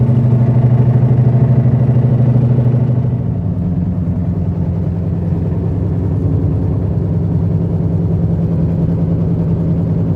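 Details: 2006 Chevy HHR driving: low hum with a rough grinding edge from the front end, louder and faster with speed and worse when turning either way; cause unconfirmed.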